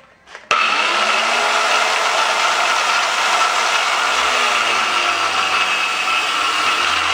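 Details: 7-inch angle grinder cutting a steel bar: a steady high whine with a coarse gritty rasp holding throughout the cut; worn, sloppy drive gears suspected, not confirmed, and the bearings audibly noisy.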